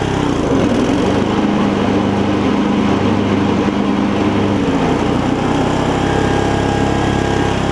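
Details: Older Murray riding mower engine, reinstalled after drive belt replacement: runs fast and steady, then pitch sags and roughens when blades engage, bogging under load; governor issue suspected, possibly internal engine failure.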